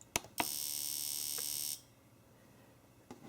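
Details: Fuel injector driven by AllSun EM276 injector tester, mode 3 (3.5 ms pulse width, 100 pulses): fast, even buzzing tick for about a second and a half, crisp and uniform, then stops cleanly; injector firing normally.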